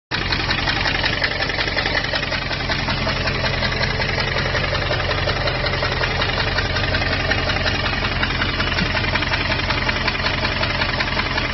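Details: 2002 Jeep Grand Cherokee WJ 4.7, professionally rebuilt engine with 4k miles, idling with a sharp, steady tick about 160 a minute. It started after a restart at a rest stop; temperature and oil are normal. Loose exhaust manifold suspected, not confirmed.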